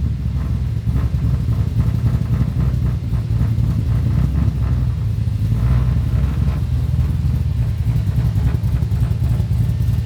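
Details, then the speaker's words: Chevy Nova (1965) rolling on the freeway after its throttle problem was fixed: deep steady rumble under road noise pulls smoothly with no stumble or cutout; takes throttle cleanly with full throttle range. "they actually drive like it should now you just push on the throttle and you can just go"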